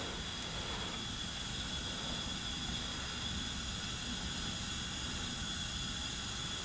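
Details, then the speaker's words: 1990 Onan P218 18 hp twin, engine stopped during leak-down test on the low-compression cylinder (90 vs 120 psi): steady airy hiss heard at the exhaust port; exhaust valve leaking, believed carboned up. "yeah definitely get some leakage here in this this exhaust Port the exhaust port's leaking I could hear it"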